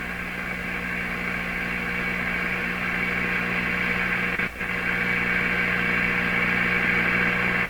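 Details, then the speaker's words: General Electric C600 tube radio during replacement of old wax audio capacitors, powered through a dim-bulb tester: a steady low droning mains hum with hissy background through the speaker; owner believes a part acting as an antenna in the audio circuit picks up hum. "is an antenna so you have an antenna in the middle of your radio hooked up to the audio circuits and what do you think that antennas gonna pick up in this case it's picking up hums that's my belief"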